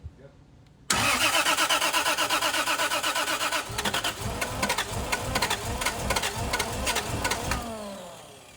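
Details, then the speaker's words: 2JZ-swapped Dodge Hellcat, new engine on first start, pump fuel, fuel being increased: steady starter churn at about three beats a second with odd catches, never firing; cranks but won't start, so close. "It's so close. More throttle and more fuel."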